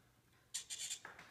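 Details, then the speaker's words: Gibson G-Force robot tuners retrofitted on a limited-edition 2011 Les Paul Deluxe: short, high, squeaky whirring bursts come and go as the servo motors turn the pegs while detuned strings are retuned, normal servo whir during tuning. "let's uh put a couple of these out of tune here a little bit you can hear kind of how the knobs the servo motors make a weird noise"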